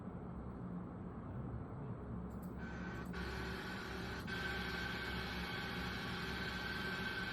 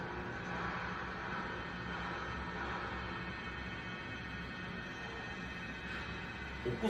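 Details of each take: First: 찰랑찰랑하는 소리데.요 벨트 소리. 요게 정상 베어리기 소리 Second: Bearing test rig in an FFT vibration-analysis NVH training demo: a steady whine with a low hum throughout, described as a typical defective-bearing sound; a good unit on the same equipment at the same speed lacks it and only shows belt noise.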